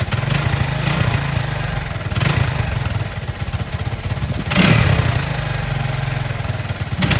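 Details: Honda ATC 200x single-cylinder, kick-started on a temporary fuel tank after carburetor tuning; steady idle thumping with crisp throttle blips that rise and settle cleanly. Normal idle.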